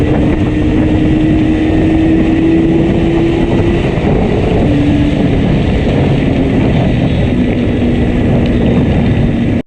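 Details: Yamaha RD350 ridden home under way: steady engine drone with no clean pull, running flat and down on power; heavy misfire on one cylinder.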